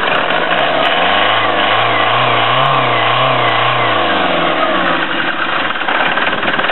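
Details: Ford Transit Mk6 Duratorq diesel with a mechanical Bosch VE pump replacing the VP30, revved by hand at the pump in the engine bay; climbs smoothly and settles back with an even note, no knock, miss or hesitation, healthy.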